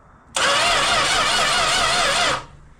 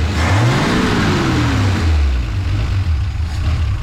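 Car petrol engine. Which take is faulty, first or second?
first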